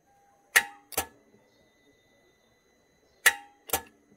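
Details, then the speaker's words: 2009 Hyundai Genesis sedan 4.6 V8, key on, heard from the starter: sharp double clicks about three seconds apart with no cranking; starter fault. "So, definitely a starter issue."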